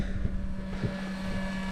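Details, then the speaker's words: Seaflo 280GPH water pump filling the rear caravan tank from a 110 L water bladder: steady low hum with a faint constant tone, no surging or rattle, running normally. "pumping away again down she goes"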